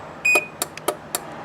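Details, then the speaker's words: Chamberlain C450 chain-drive garage door opener during installation: the center button on the back of the head unit is held until it beeps, then the up arrow sets the travel limit; one sharp beep and soft clicks confirm the setting. "we'll go and hold this center button here until it beeps and then we'll hit our up arrow until we set where we want the garage door set"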